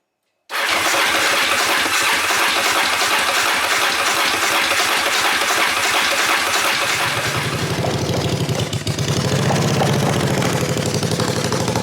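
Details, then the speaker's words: 1981 Yamaha XV750 cafe racer with new Mikuni carbs and new ignition, first start after fixing swapped coil leads; catches and settles into a rough, very loud rumble with crackle: runs fine, open exhaust with no silencer, very short rear pipe. "But yeah, as you can hear, it runs, it rides, does what it needs to do. It is extremely loud because there's no silencer anywhere on them exhausts, and the rear pipe is very, very short."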